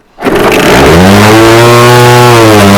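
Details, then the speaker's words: Scratch-built early-1970s radio-controlled boat engine, not run for twenty years, restarted after lubing the cylinder: it starts in a burst, then settles into a strong, even buzz with a steady firing rhythm and no knocks, running healthy. "start up quite quick that did for I mean I don't think he's gone in 20 years is so that's not bad is it that sounds quite bloody good"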